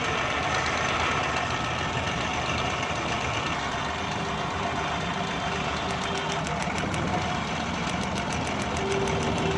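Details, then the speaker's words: 2012 Suzuki Bolan misfiring on both CNG and petrol: rough, uneven idle with irregular stumbles and a ragged beat; a plug lead, its rubber worn through, is cut and sparking to the body. "ये वायर दोस्तों ये स्पार्क कर रही है, ये कटी हुई है तार बॉडी के साथ लग के।"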